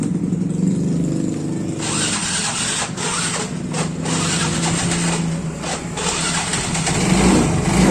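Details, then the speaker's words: Yamaha Mio Soul GT injection scooter, previously not starting after sitting several days, now fires readily and settles into an even, steady idle with a few light blips after fuel pump check; problem resolved, starts and runs normally. "Oke, masalah pada motor ini sudah saya selesaikan."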